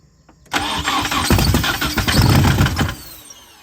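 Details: 240 after header and interior work, starting fluid used, throttle cracked open: uneven starter churn about two and a half seconds then silence, cranks without catching; spark uncertain.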